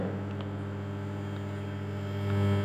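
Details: Mains-frequency hum with a buzzy edge from a home-built 2.1 subwoofer amplifier using dual STK4191 ICs.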